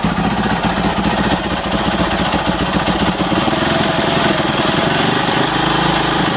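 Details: 2006 Husaberg FE650 after Taffy's dual valve spring kit, new 70-link cam chain and tensioner: idling with busy mechanical clatter over exhaust thump, steady with engine speed; top-end noise, source not pinned down.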